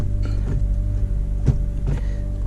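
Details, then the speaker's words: Honda Accord manual transmission, engine idling, clutch pedal pressed: idle rumble with dull clunks and scrapes as gears are forced in; bad clutch not disengaging, hard shifting. "can hear it with all the force that I'm putting it's very very difficult all right the problem here is the clutch is bad on this car"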